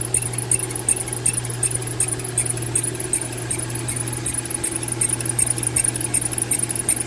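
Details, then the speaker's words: 2012 Mercedes-Benz C300 at idle giving sharp high chirps, two or three a second, from the accessory drive; the noise persists after the belt, tensioner and pulleys were all replaced, and its source is still unknown. "change the belt and i'm still here the same noise the pulleys being changed pulling me changed over there and i'm still hearing the same exact noise"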